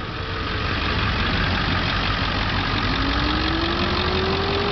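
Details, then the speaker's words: 2000 Ford Excursion XLT 4x4, 7.3 L Power Stroke turbo diesel, 82,124 miles, lifted: steady, even diesel clatter at idle with faint belt-driven tone, no uneven beats; healthy idle, runs like new. "truck runs just like it's new got about a four or five in lift kit on it"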